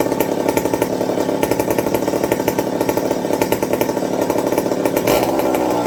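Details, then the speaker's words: McCulloch 55 gear-drive chainsaw after a homemade Scotch-Brite pad tank wick and a 090 carburetor swap to cure fuel starvation: steady, crisp two-stroke buzz holding speed without surging or bogging, then picking up cleanly; running healthy, normal. "i'm going to call that a win so like i said i said i wouldn't do the 0.90 swap but as we can see she's driving great with it"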